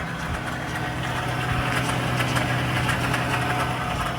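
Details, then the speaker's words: 2022 Ford Raptor (Gen 3), about 14K miles, cold start in winter only: an extremely weird uneven rapid ticking and chatter over a low rumble at idle. It doesn't occur in summer, even on cold mornings. Source still unidentified. "and like I said it's only during the cold winter months uh during the summer even during a cold start in the morning it doesn't really make this sound"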